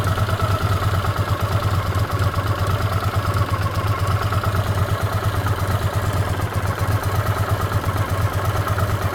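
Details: Honda CX500 at idle: a fast light ticking over the low thump from the left cylinder head; owner suspects an exhaust gasket or, at worst, a worn cam chain, not confirmed; coolant is also dripping from a pipe joint.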